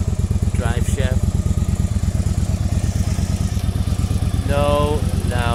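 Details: 1995 Yamaha Virago 1100 V-twin, 22,900 km, after a full carb overhaul (new float valves, needles, main jets 125 front/122.5 rear, diaphragms, pilot screws, fuel lines): even, steady idle with a smooth low thump, no misses or stumbles; carbs running clean and balanced.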